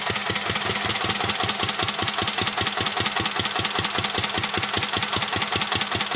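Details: 1949 Petter A1 air-cooled single-cylinder stationary engine driving a homemade "Bitsa" generator: even, steady beat of about 100 a minute, holding speed smoothly under generator load; healthy old engine, normal running under load.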